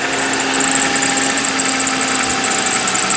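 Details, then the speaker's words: THE BIG SIX (owned over 7 years, about 25,000 miles added), cold start then idle: thin, steady squeal at constant pitch over a smooth engine; belt or possibly a pulley squealing, goes away, causes no problems. "so now you can hear it pretty good you hear the squealy belt might be a pulley that's squealing I don't know but like I said it goes away doesn't cause any problems"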